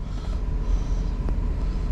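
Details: Warm idle of a 2009 GMC Yukon 5.3 LS V8 after oil pump replacement for low oil pressure, run about 15 minutes: 40 psi oil pressure, just under 210°F water, over 14 volts; low steady rumble with no knocks or ticks, runs good.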